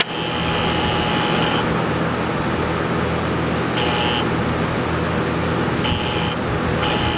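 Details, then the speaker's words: P502 air-cooled TIG welder under repair, high frequency turned off: steady low mains buzz with light rattle from the vibrating middle relay while the right relay controlling the big relay is held firm; main issue thought to be the right relay. "So that buzzing sound, that sort of light rattling sound is from the middle relay while I hold the right relay, the one that controls the big relay, firm."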